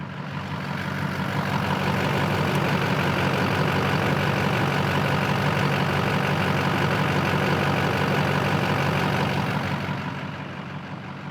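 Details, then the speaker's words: 2004 GMC Sierra 3500, LLY Duramax V8 diesel, after a new injector connector pigtail was fitted for limp mode codes P0202/P0207: steady, even diesel idle clatter with no stumble, surge or hunting; no limp mode. "so as you hear the trucks running as it should be no limp mode to be heard"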